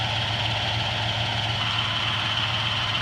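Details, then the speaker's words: Restored 1986 Jeep Grand Wagoneer carbureted V8, motor redone during the restore a few years back, no oil leaks, just after a start with some belt squeak: even, steady idle with a smooth low rumble, light belt and fan hiss, no misses or knocks. "smooth as can be so the motor was redone uh when they did the restore a few years back"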